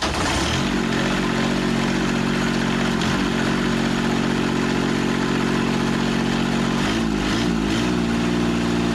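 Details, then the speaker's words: Kubota 3-cylinder diesel from a Carrier AC unit, sitting at a scrap yard, restarted: steady even clatter with no misses, then brief rev change; all three cylinders firing cleanly. "nice straps in the way but she lit up on all three cylinders perfect"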